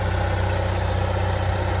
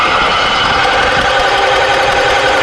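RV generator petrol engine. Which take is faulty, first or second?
second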